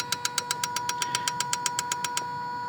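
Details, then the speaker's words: Injector number one triggered by a scan tool active test with the engine ECM: crisp, even clicks about eight per second over a faint steady tone, then they stop; injector responding normally. "Om vi då ska testa spridare nummer ett här. Hoppas ni hör någonting på ljudet här nu. Hör ni att det klickar?"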